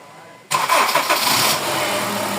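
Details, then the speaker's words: Honda CR-V Gen 3 K24 engine after wiring repair for a misfire (rat damage suspected): cranks and catches quickly, settles into steady even idle; earlier shaking gone, now quiet. "So ayan, yung kanina palag-palag yan. Ngayon, okay na. So okay na yan. Tahimik na. Wala nang palag-palag."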